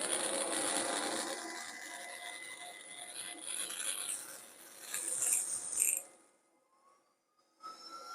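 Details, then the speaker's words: PICC Starfire plasma arc hob at switch-on: rough crackling hiss that settles and drops away, then a thin steady tone; normal plasma arc ignition buzz. "so these are basically just plug and play makes a strange noise when you fire it up"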